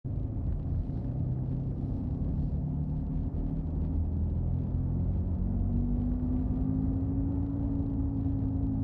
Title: Humming and Rattling Noise in '05 Subaru Outback